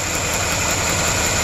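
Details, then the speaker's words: 1994 Cadillac DeVille V8 running rough at idle after a no-start repair: uneven low thump under steady hiss, a misfire from an arcing spark plug wire seen on the scope; another wire also found dead. "plug wire is arcing right there and i can kind of change it that's me moving it around spark lines changing right there so that's definitely bad"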